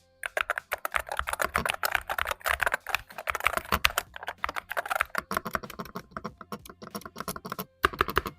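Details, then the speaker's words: Mechanical keyboard (AULA F75 or AJAZZ AJ820) during typing: fast, uneven clatter with louder hollow strikes; owner suspects factory stabilizer lubricant evaporated, leaving a loud rattly spacebar, to be fixed by relubricating. "Und was jetzt übrig bleibt, ist ein ziemlich unangenehmes und lautes Geräusch. Aber natürlich lässt sich das Geräusch mit einem einfachen Schmierpinsel beheben ."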